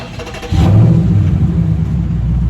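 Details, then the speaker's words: Dodge Charger/Challenger Hellcat/Scat Pack with mufflers cut off: start-up settling into a loud, deep open-exhaust idle with no squeak or chirp, after both active exhaust valves were lubricated with WD-40 to cure the squeak. "no squeak no squeak so there you go you guys so all you need to do is add that WD-40 to both active exhaust and uh you're all set"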